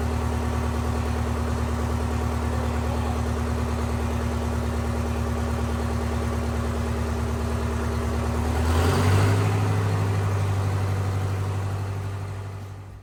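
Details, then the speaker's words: Detroit 8V71 two-stroke diesel from a bus, swapped into a John Deere 5020 tractor, at about 11 below zero: steady deep drone climbing smoothly on hand throttle, then cleanly shut off with kill cable; healthy running. "okay that sounded like a victory"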